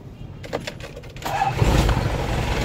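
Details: Diesel unit that cranked but would not start, after a temporary emergency fix bypassing the fuel shutoff valve supplying the injection pump: brief clatter, then it catches and settles into a steady even rumble.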